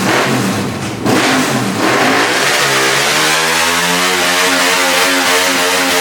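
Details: 1998 Yamaha Vmax 1200cc V4 with Black Widow mufflers: loud blips, then a revving climb that wavers instead of rising cleanly, stumbling on throttle; rough idle, throttle acting up, carbon suspected, not confirmed.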